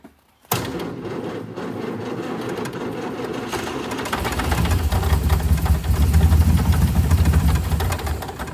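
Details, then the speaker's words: 1962 Austin Healey 3000 BT7, long stored, mouse-damaged engine rebuilt with rebuilt head and carburettors, cold day: catches on starting fluid and runs ragged, swelling and sagging, not idling steadily; carburettors possibly far off, cause unconfirmed. "might be purely running on starter fluid right now give it another go"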